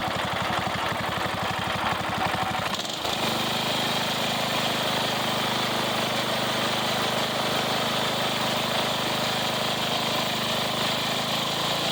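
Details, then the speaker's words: Craftsman riding mower single-cylinder engine, bought for $25 and long sat needing starting fluid, now running after carburetor service and new filters: catches after brief cranking, settles to steady even idle, no misses or knocks; normal idle. "So, yep, it all runs and works now."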